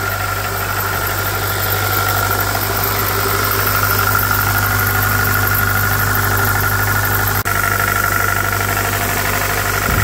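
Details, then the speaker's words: Jeep Patriot at -36 to -40°C/-40°F with failed block heater, just started on roughly the 15th attempt; rough cold idle with faint uneven tapping under the engine hum, check engine light on, cause unconfirmed; knocking at idle after cold start. "oh it was so close there yay oh listen to the knocking check engine lights on no big surprise"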